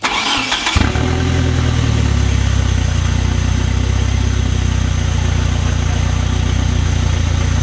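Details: Fully built 4G63T in a mid-engine Eclipse, timing corrected to about 15° BTDC, crankcase vents plugged: quick crank, fires straight away and holds a smooth, even idle with a steady low hum, no stumble.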